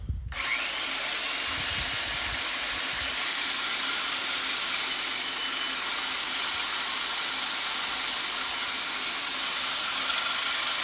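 Steady, high, gritty grinding under a constant drill whine as the reel spins backwards against lapping compound.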